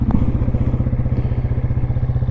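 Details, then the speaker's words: 1996 Yamaha Wolverine 350 4x4 ATV, parked after first ride: steady, even low single-cylinder thumping with no misses or rattles; idling smoothly and cleanly. "And as you can hear, it's idling fantastic, running fantastic, and it's nice and smooth."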